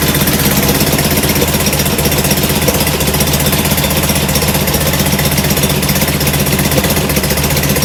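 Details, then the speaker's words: Rebuilt performance VW air-cooled flat-four: steady loping idle, even low exhaust pulses, no knocks, a touch rich on the idle jet, blamed for black smoke puffing; plugs fouled, smaller idle jets and new plugs planned; 50 psi oil pressure. "i thought this is why it was puffing the black smoke but uh i think it's just a little too rich on the idle jet so we'll take care of that"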